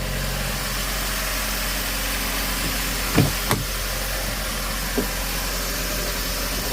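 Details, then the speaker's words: 2012 Fiat 500 with a replacement engine stored over a year, first start after install, burning off excess oil smoke: steady, even idle hum with no knocks, misses or ticks; much smoother than the old engine. "see what she sounds like oh she's so much smoother than that other engine"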